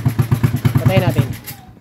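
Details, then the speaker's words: Honda TMX 155 motorcycle that was hard starting (over 50 kicks), now running: sharp loud exhaust pops at about eight per second at idle before shutoff. The muffler is too noisy. "Nakaka nakakahiya 'yung tambutso kasi maingay 'yung tambutso niya."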